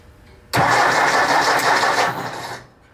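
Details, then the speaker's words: 1964 Ford 4000 Rowcrop diesel tractor, first start after a two-year restoration: uneven cranking churn with no firing, injector lines cracked open to bleed air. Cylinders 1 and 4 were expected to fire first; diesel then reached 2 and 3. "So now, in theory, if everything is correct, this thing should start to want to hit on numbers 1 and number 4 cylinder."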